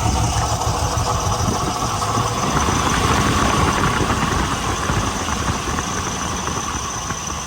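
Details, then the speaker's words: Nissan 300ZX at cold start idle: uneven, lumpy idle with irregular stumbles and heavy engine shaking as it wants to stall; it misfires and idles better when revved and warm. "it kind of wants to turn off. Um, some engine shaking pretty bad. Um, but once if I rev it and once it warms up, it actually starts to idle a lot better."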